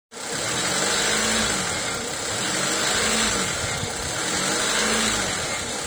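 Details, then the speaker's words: 1996–2001 Honda Civic EK1 with D16Y4 engine: high, hissy hunting idle swelling and easing about every two seconds, caused by an idle air control valve stuck open; previously fixed by removal and cleaning. "That was the symptoms of a stuck idle air intake control valve which is buried buried way down here."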